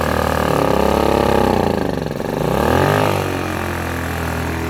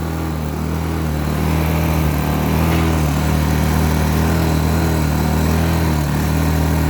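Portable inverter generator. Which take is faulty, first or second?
second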